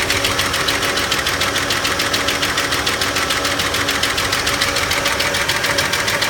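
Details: 1991 Ford F-150 at idle: fast, even ticking of about three and a half per second over a steady idle; a top-end tick that the owner suspects may be the valves, not confirmed.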